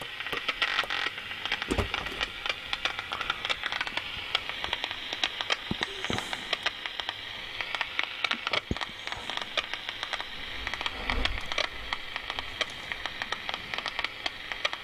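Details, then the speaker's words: Shortwave receiver tuned to the 25 m band: only faint hiss with scattered crackles and clicks and no station or voice coming through; the receiver is deaf. "and that sounds totally deaf"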